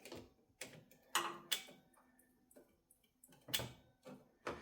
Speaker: So you can hear it's clicking, which means it's ready to just fire up.